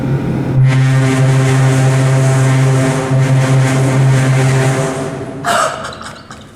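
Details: Original Montgomery hydraulic freight elevator #2, Santa Rosa Plaza: loud low droning pump hum, wavering pitch that sags and breaks up near the end; the uploader says it is severely low on oil and struggling.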